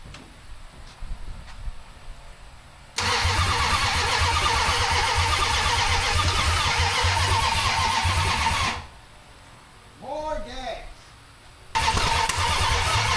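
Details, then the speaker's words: 1974 Dodge Dart Swinger, unknown old small block, after a grounding fix: cranks, catches and runs ragged about six seconds, then dies and won't keep running. "That was better. A lot better. Definitely better."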